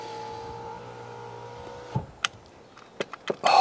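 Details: 2014 Fiat 500L, after reconnecting wiring while chasing a driver's door window fault: left electric window runs with a smooth, steady motor hum for about two seconds, ending with a light clunk; normal, while the right window doesn't work.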